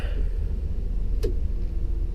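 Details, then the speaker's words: 4L85E transmission with newly installed parking pawl, vehicle rolling in neutral then shifted to park: low drivetrain rumble, then one sharp metallic click as the pawl engages and stops the vehicle; comes out of park fine. "you can hear it when it goes in the park it comes out just fine"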